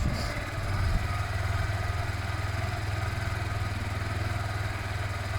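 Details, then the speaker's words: Zontes Mantis 125cc small single after a one-day rebuild, warmed up before a test ride: even steady thump at idle with no misses or rattles, runs lovely; normal idle. "You can hear the engine, it runs lovely."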